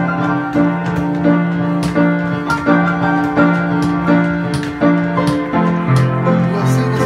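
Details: Weber Pianola player piano after fixing a vacuum leak from the perished Duo-Art accordion box, clear full-strength notes about 85 per minute, no hissing, louder than before, bellows striking keys properly; normal playing.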